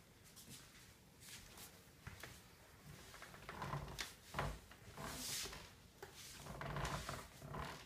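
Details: Herman Miller Embody office chair giving irregular creaks and squeaks as it is shifted in a quiet room; chair squeak.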